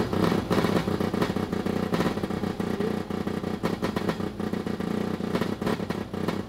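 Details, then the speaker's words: Formula Mazda rotary engine: a rough, lumpy note with irregular sharp pops as one rotor cuts in and out. Ignition is ruled out despite corroded points; the owner suspects a fueling issue, a worn-out engine, or that it needs redline. "Either A, the engine's toast, or B, it needs redline. If redline doesn't do it, it's gonna need rebuild. But did you hear it firing off?"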